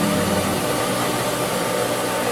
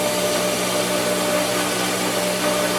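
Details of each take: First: Pool pump priming at pool opening, housing cracked and squirting water: a steady hissing rush of air and water with no firm tone yet. Water is coming in but lots of air still has to purge. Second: Pool pump after first start of the season, which takes about 2.5 minutes to prime: a steady motor hum with a faint water rush, even and unbroken, showing the pump has primed and is drawing water normally.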